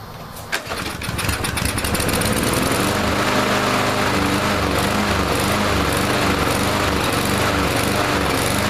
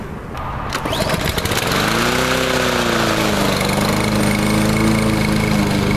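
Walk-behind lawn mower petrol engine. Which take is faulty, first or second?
first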